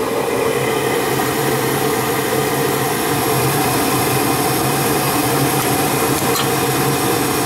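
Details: Gas furnace with no heat, after the flame sensor was cleaned and the exhaust fan assembly was replaced: a steady, even whoosh from the inducer fan over a low hum, with no rattle, scrape or wobble. The furnace is running normally.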